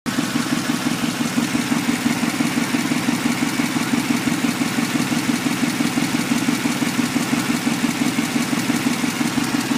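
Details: 1994 Impala SS, steady idle with a quick, even tapping at about three per second riding over the engine; something ticking up top, cause not pinned down.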